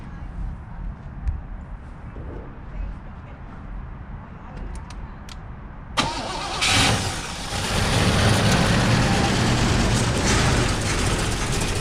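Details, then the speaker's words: 1988 Chevrolet Caprice Classic wagon, a barn find started after 15 years parked, with a fresh battery and fuel added: quiet for six seconds, then it catches and settles into a steady, even idle on its own. A normal start and idle. "all right all right it's idling on its own uh it sounds like it's pulling gas from the gas tank now"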